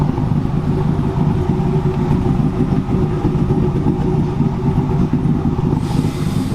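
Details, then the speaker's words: Idle of a stroker engine with a Texas Speed cam, ARP head studs and bottom end, still catted with full exhaust, on the dyno after rebuild, heard from the rear: a deep loping rumble with an uneven cam chop and no knocks or ticks. Normal cammed idle. "Got a little Texas speed cam action in there, too. It's still catted, full exhaust, but you can hear it back here chopping."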